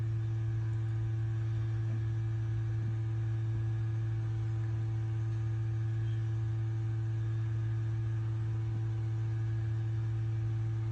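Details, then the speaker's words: Ford F-150 ABS service brake bleed run through Forscan with the engine off and ignition on, left front bleeder open: steady low electrical hum with a fainter higher tone as the ABS valve is energized, but no fluid comes out. "Alright, energizing the valve. Hold on, I gotta turn the switch on. Energizing the valve, I guess you can hear. I can hear it, but it ain't doing nothing."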